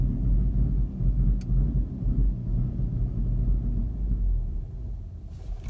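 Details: Mk6 GTI on a hot restart after being driven to operating temperature and then off about 15–20 minutes: a low, uneven idle that lumps and sags irregularly, close to stalling. This happens randomly and the cause is unknown.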